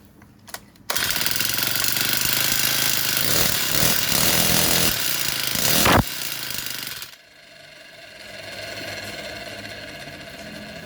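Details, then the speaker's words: Four-stroke brush cutter that wouldn't start, after the intake and exhaust valve clearances were reset and the timing gear marks aligned: it fires into a steady high-revving rattle, then settles to an even idle. "ก็สตาร์ทได้ปกติแล้วนะครับสำหรับการตั้งวาล์วและเครื่อง4จังหวะนะครับ"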